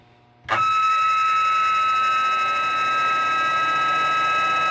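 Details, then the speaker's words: Zero Fossil Fuel PWM clone controller, with an upgraded add-on board after replacing two caps, driving a radiator cooling fan. The fan runs with a steady high-pitched whine from the PWM switching frequency heard in the motor. "can hear that high-pitched whine. I'm going to explain to you what that is here."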